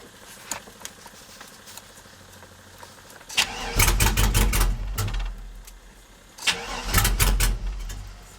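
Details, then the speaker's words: Old GM truck with 4L80E, after loosening a wire: starter cranks, engine catches and runs about a second then cuts out, twice; anti-theft PassLock/VATS fuel cutoff not functioning, later deleted with HP Tuners. "and the reason it's doing that is because the pass lock system is not functioning for whatever reason"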